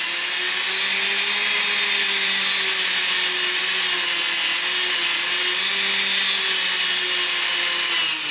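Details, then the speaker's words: iKon helicopter autorotation bailout bench test, no load on the head, head speed around 2200 RPM: steady high electric whine with slight wobble as the motor spools up after flicking out of hold; bailout worked correctly, a normal spool-up. "okay so now you see it actually bailed out correctly um and don't worry I mean this kind of funky behavior in the bench is normal"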